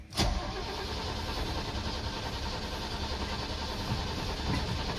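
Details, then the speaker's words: Mercedes G-Wagen with mechanical fuel injection, long stored, fuel added and starting fluid sprayed; a click, then starter churns steadily five seconds with no firing, cranks but won't start. "nope not happening g-wagen is dead too but this is the reality of trying to start barn-find type of vehicles"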